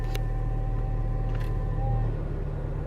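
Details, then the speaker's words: Turbo Honda Civic Si with a base-map tune, idling: steady high whine above smooth rumble, persisting after new idler pulley, tensioner and belt; owner tests with AC on, suspects AC compressor or its clutch/fan bearing; accessory whine. "did some done diagnosing when I turned the AC on I'm gonna do right now"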